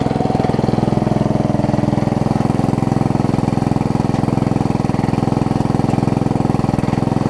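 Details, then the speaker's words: Yard Machines 38-inch rider, 13.5 hp Briggs & Stratton, spliced wiring, weak blade return missing spring, oil topped up: steady, even thump about three beats a second at idle, no misses or knocks; transmission works, engine sounds alright. "the good news is transmission works this sounds alright"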